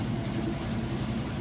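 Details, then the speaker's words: Kenmore top-load washer with a heavy load of jeans and new agitator dogs, spinning at full speed on the final spin cycle: steady even low hum with no thumping, banging or scraping. Normal spin. "okay and we are spinning at full speed on the spin cycle"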